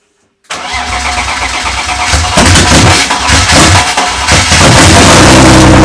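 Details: First start-up of a freshly rebuilt BMW M52B28 engine in an E36 race car, after fixing small wiring mistakes: quick crank, fires straight up and runs evenly with a firm, steady rumble; starting and running as it should.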